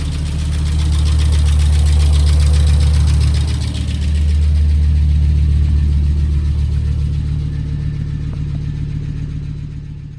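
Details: 1996 Volvo 850R turbo, about 90,000 miles, cold start after 16 years in storage, with new plugs, coil, fuel filter, fluids, thermostat, battery and 98-octane fuel: deep, steady, even idle pulsing at about 220 beats a minute while warming; it runs cleanly.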